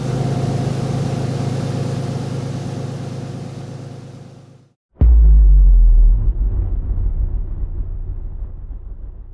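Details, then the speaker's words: Peugeot 206 with swapped VR6 engine, cold: deep rumbling rev fades, then a loud bang and rough burble; owner attributes popping on acceleration to the cold engine and to lambda sensors not yet fitted. "Alors, le fait que j'accélère et qu'elle pète, d'une part, c'est parce qu'elle est froide. Je sais, c'est pas très bien."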